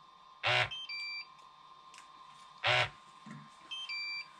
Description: My controller had a double beep that I never heard before so I made a video about how I fixed it.